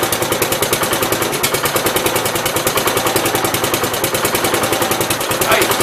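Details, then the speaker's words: 1969 Gravely 432 single-cylinder tractor, cold start at about 15 degrees, small fuel pump leak: steady thumps about three per second with no stumbles and a little smoke; healthy cold idle. "Sounds good, yeah. Alright, let me get some air in the tire and we'll back this thing outside and drive around a little bit."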